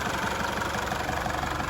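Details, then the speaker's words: Isuzu D-Max diesel back together and running after a crank-no-start repair (camshaft position and EGR codes, no OBD engine speed): steady diesel clatter at idle, even rhythm, no misses or odd knocks; idling normally. "Okay guys, this thing is back together at this point in time. Maybe a bit of plastic to go over and a battery clamp to be put in, but other than that, it is up and running."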